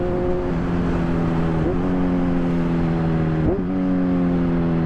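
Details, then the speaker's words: Kawasaki Z1000 with aftermarket exhaust that previously backfired loudly, fixed by reflashing the ECU via a Woolich bench harness; riding on the overrun, a steady engine tone falls through gear changes with no pops or bangs, a clean deceleration. "there's no backfire anymore, which is probably what I wanted the most for quite a while."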